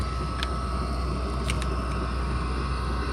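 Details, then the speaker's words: 5k all-aluminum Chinese diesel heater with blue LCD controller, first run of the season, being turned up toward full burn (pump setting up to 5.0): steady low fan roar and sharp spaced ticks; normal high-setting operation. "So when you turn it up, fan speed is going to increase on this thing. Fuel pump is going to increase as well. It's going to tick faster."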